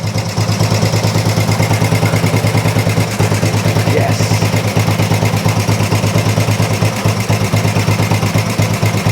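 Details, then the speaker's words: Old Royal Enfield 350 single after long storage and carb work, not yet fully warmed up: even, steady idle thump about three beats a second, no misses or knocks; engine sounds really sweet, normal idle, little wrong with it. "unbelievable engine sounds really really sweet yeah obviously we'll get it up to temperature properly when we have a ride on it"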